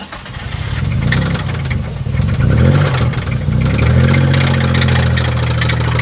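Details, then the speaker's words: Infiniti G35 (VQ engine) drift car with welded differential, driven hard for a final drift before engine swap: rough, uneven knocking roughly four per second over idle and blips, sounding very bad; worn connecting rod bearing, rod knock. "Oh my god. This thing sounds so bad. One final drift."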